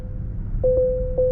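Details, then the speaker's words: 2024 Tesla Model 3 Highland (HW4) moving slowly in a car park with a 10 mph limit: steady mid-pitched pings in quick pairs about every half second over a low cabin hum, the speed limit warning chime. "oh okay I see it so that's the the speed limit warning uh coming into play there so obviously we were in a 10 mph we're in a car park so it doesn't really matter uh and the car was pinging me"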